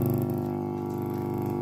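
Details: Home-built active speaker power amplifier, volume at zero or low: loud, steady low buzz; mains hum coupling in from tone stage and power stage sharing one transformer.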